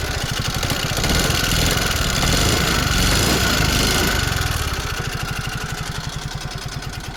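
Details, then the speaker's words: ZR 2023 model bike at idle after start-up: fast, fairly regular tapping, three or four a second, from a worn rocker arm with a seized bore. Timing chain checked OK, engine oil totally empty, no smoke. "So என்ன இது problem பார்த்தீங்கன்னா, இந்த rocker ஆரம் பார்த்தீங்கன்னா போயிட்டு இருந்துச்சு friends. So rocker ஆரம் போயிட்டு இருந்துச்சு, போர் சீஸ் ஆகிருக்கு."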